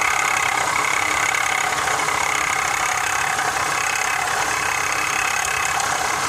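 Fast, uneven metallic rattle, roughly three or four a second, sits over a steady idle; something is loose, cause not yet pinned down.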